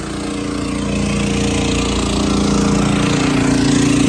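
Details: Champion generator in eco mode with a soft start kit fitted to the home air conditioner: the engine hums evenly, then settles into a slightly heavier steady drone as the AC load comes on. No stalling or surging; it runs fine.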